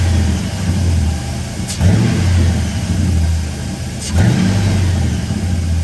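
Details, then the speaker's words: Truck with a 5.3 V8 at a smooth, steady cold-start idle with two quick blips and no exhaust ticking, after the broken rear exhaust manifold bolt leak was sealed with a special manifold clamp. "anyways like i said from inside the truck i can't hear the exhaust leak at all"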